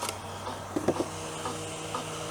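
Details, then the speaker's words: Harbor Freight 100 W solar setup running an air compressor that draws about 10–12 A, just over its limit (it handles about 8 A): steady low hum with weak clunks, motor tries but stalls from insufficient supply current. "I can hear it trying to come on but it's not you hear that yeah it's just not enough to run it"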